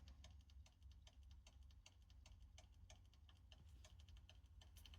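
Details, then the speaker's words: Broken laptop hard drive in a dock: repeated knocking clicks, about five a second, over a low hum. "So, let's see if we can hear what's wrong with this one. So, you can hear that knocking sound."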